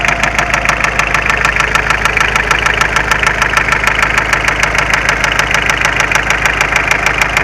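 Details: Mitsubishi Space Runner 2.0 diesel idling steadily with a hard regular knock, about three per second, and whole engine shaking; began suddenly while driving, starts tolerably, slightly loosening an injector changed nothing; cause not yet found.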